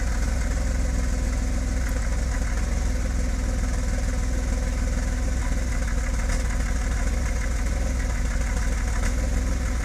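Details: BMW E34 525i with M50B25 engine without VANOS, ICV cleaned, MAF OK, new spark plugs: rough idle with a deep, slightly uneven beat; owner suspects timing, ignition coils/wires or O2 sensor.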